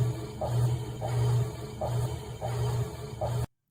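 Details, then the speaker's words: Amana top-load washer: low, heavy hum surging and sagging about every half second as the motor labours; motor in distress, possibly a failing motor coupler; not confirmed. "So that's a motor in distress. That could also be a motor coupler cuz it's trying to work."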